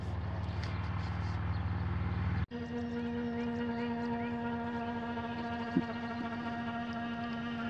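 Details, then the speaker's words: Astro-Physics Mach2 equatorial mount, RA axis, go-to speed 1800 from west side to park 3: steady low buzzy hum at constant pitch, vibration felt near the motor, one motor stall warning; cause unknown. "okay this is going to be a go-to speed of 1800 and we're on the west side of the mount and we're going to go to a park 3 position now for some reason it says mortar stall that was the first time it said that definitely the vibrations coming from up around here"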